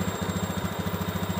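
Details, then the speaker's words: Honda Beat ESP injection scooter with the idle adjuster turned about two and a half turns toward the factory 1300–1500 rpm: an even single-cylinder thump at about seven beats a second, steady with no hunting or misses. Normal idle. "intinya tetap standar karena ada standarnya kalau dari bawaan pabrik itu sekitar 1300 sampai 1500 sudah cukup"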